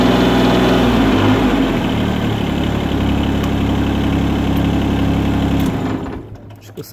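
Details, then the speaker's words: Everun ERE12 mini excavator diesel engine at idle: smooth even diesel idle with steady low beat, no knocks or rattles, then switched off with the key. Normal diesel idle. "Egyébként egy ilyen nagyon finom kis kultúrát hangja van. Kicsit hallgassuk meg, hogy milyen hangja van."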